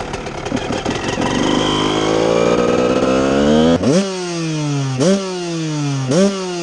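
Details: Restored 1998 Honda CR125 two-stroke motocross bike with FMF exhaust: crisp rattle rising to high rev, then three sharp blips falling back cleanly; normal running.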